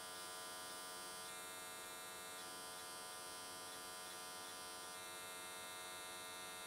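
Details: S13 catch can AC TIG weld at 95 Hz square wave after a settings change to smooth things out: steady, even electric buzz for the whole weld, no crackle or sputter. Normal, stable arc.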